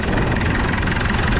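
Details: Massey Ferguson 7495 tractor, cold start at 32°F using ether. Heavy diesel clatter settles into a steady, even idle with the usual cold knock: a normal idle after a cold start.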